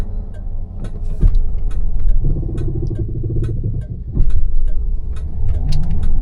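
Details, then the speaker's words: FuelTech 500 hp electric-converted Ford Mustang Fox Body with its original manual gearbox, in third gear around 2000 rpm: quiet drive with a soft gear whine rising with speed. This is normal gearbox noise. "You hear the noise of the gearbox now You hear the noise of the gearbox, that's an original gearbox"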